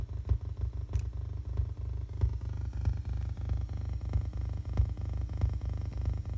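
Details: Receiver picking up a Z80 CPU's binary-counting address LEDs via breadboard ground tied to oscilloscope ground, fed through MacBook aux out; low buzz with clicks about three a second whose rhythm changes as LEDs are pulled; ground loop interference.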